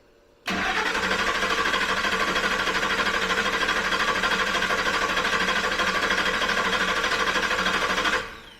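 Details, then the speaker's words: The starter churns steadily for about eight seconds and the engine never fires. This 2000 Ford F-150 has no fuel pressure; when actuated with a tool, the relay clicked but the fuel pump didn't turn at all. "I got bad news. It didn't want it to start. And it didn't want it to start because there's no fuel pressure. There's no fuel pressure because the damn pump is not turning."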